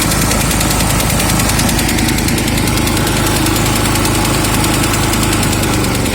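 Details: Huter SGC 6000 generator at 72 engine hours: a loud, rapid, steady mechanical knock hammers along with the engine at constant speed; the cause is not yet known.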